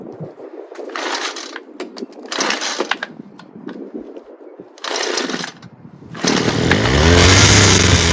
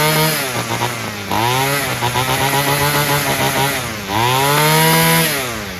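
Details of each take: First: Free Homelite two-stroke string trimmer after many pulls: buzzes steadily on choke with a slightly wavering pitch, but stalls once the choke is off. Owner suspects mixture screws or a blocked screen near the metering diaphragm. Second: Free Homelite string trimmer, two-stroke, fixed by adjusting the carburetor mixture and idle screws (carb not cleaned), revved up: screams cleanly to full revs and holds, dropping back and climbing again without bog or stumble, running properly.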